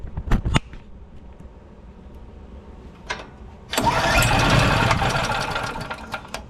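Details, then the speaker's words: Generac GP3250 generator, unused a couple years, tank found dry, oil in intake, choke on: a few recoil pulls, catches roughly for seconds then fades; hard start, fires then dies from fuel starvation, gummed carburetor. "well it seemed like it tried to start so if you're checking out your unit and it won't start first thing you want to check is your fuel normally it's a fuel related issue"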